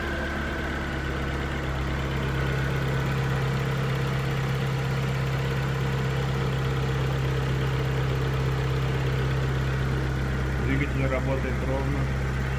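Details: 2002 Skoda Octavia Tour 1.6 8-valve AEH petrol four-cylinder, 170,000 km, after start: steady, even idle with a smooth low hum, no knocks or misses; normal idle.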